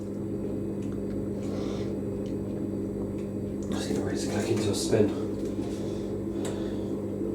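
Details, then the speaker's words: Zanussi Electrolux Aquacycle 1200 ZWF1221W washing machine quick spin: steady motor hum with a faint high squeak from new carbon brushes still wearing in as the drum ramps toward 850 rpm; should quieten once bedded in. "Hear the motor. How squeaky the brushes are. See how when they're wearing in. Then they'll get quieter as they get to 850."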